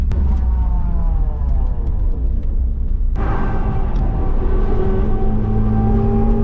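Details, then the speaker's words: Toyota AE86 driving with a steady whine over road rumble that rises and falls with speed, from the rear end; no quieter after the rear axle bearing rebuild. "oh there's a considerable wine if you I mean I'm sure you can hear it it's kind of about what it was before it's not really any better"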